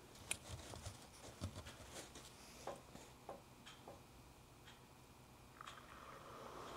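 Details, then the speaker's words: Engine block heater pulled out and powered in a cup of water (no coolant available): faint irregular pops and ticks, then a soft rising sizzle; element working, water turned lukewarm in a short time. "actually funny enough in that short period of time it made that cup of water warm like a good lukew"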